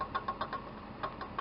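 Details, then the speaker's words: 2003 Dodge Dakota 3.6 with serpentine belt off: light sharp knocks in short uneven clusters from the water pump, which leaks coolant and has fan play; worn water pump bearing, pump being replaced. "that's the noise we were hearing when the engine was idling"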